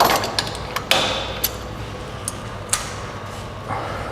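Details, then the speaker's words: Early-1990s Honda Legend with automatic gearbox, driveshaft rocked by hand: sharp uneven clunks about once a second from play in outer and inner CV joints, causing clunks in low gears during shifts. "bo są mniej więcej podobne podobny luz więc to też generuje taką usterkę którą żeśmy usłyszeli przy niższych biegach"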